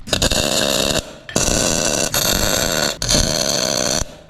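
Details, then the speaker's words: Lathe turning a circle plate tacked to a pipe for a 1976 Cadillac Eldorado air-bag mount: cut chatters and drops out in bursts as the tool meets the not-quite-round plate's imperfections, before turning it true. "So you can see and hear the disruption. That's just imperfections in that circle plate. It's not completely round, but we're going to change that with a little turning work here."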